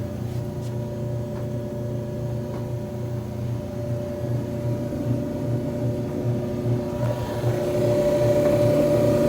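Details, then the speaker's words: Electrolux EIMED60LT3 front-load dryer after repair of scraping noise (rollers, tensioner pulley, blower wheel serviced); steady even motor hum with faint drum rumble, no scraping or knocking, heating; normal running. "as you can see, got this puppy working properly. No noises, it's heating, all that type of stuff."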